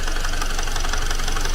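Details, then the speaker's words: Car engine just after an engine teardown/rebuild, running: loud, rapid, even clatter like a tractor, a mechanical knock inside the engine; arrived fine before repair, owner denies forgetting oil, engine reopened. Cause unconfirmed. "你这咋修成拖拉机了呢？来的时候不是好好的吗？"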